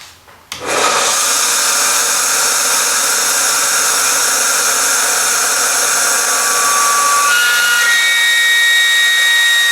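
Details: Delta 1-inch belt sander, 1/4 hp motor, dusty roadside find, initial run before cleaning: coarse sanding roar with thin high squeal creeping upward, runs a while then screams; owner suspects dry, seized, dust-choked motor bearings.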